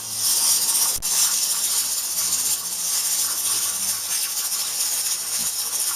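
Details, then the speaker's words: Pressure canner processing jars of chicken stock at 10 psi for 20 minutes; steady hiss of steam venting with the weight jiggling and lightly rattling as excess pressure escapes: normal venting at operating pressure. "our weight is then I'm giggling away letting off the excess pressure out so this doesn't get too hot at 32 much better now this is when the processing starts"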